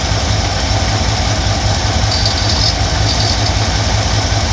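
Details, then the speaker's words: 1971 Ford F100 302 small-block V8, carburetor idle mixture screws adjusted on the left side, leaned until rough and then richened slowly: even, steady burble with regular low pulse, no stumbles or misses; smooth idle. "sounds like it's running pretty smooth"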